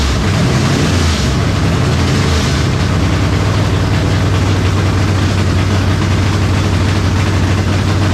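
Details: 1970 Chevelle V8 with Holley Sniper 2 fuel injection, alternator unhooked, warming up: deep, loud idle with an uneven, lumpy beat that never settles; rough idle, suspected IAC, cap, rotor or valves, cause unclear.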